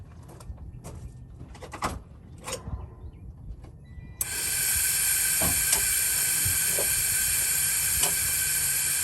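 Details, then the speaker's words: 2007 Freightliner Columbia with a Detroit Series 60, engine off, over 100 psi air and the ignition switched on: a sudden loud continuous hiss of air escapes through the fan clutch hub, indicating a bad hub. "you all hear that air coming out of the air hub right now that means it's bad"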